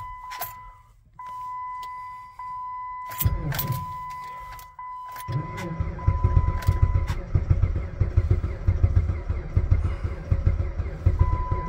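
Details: Jeep Patriot at about -36 to -40°C with failed block heater, booster pack attached: warning chime, then slow labored starter churning on and on without catching; cranks but no start in extreme cold.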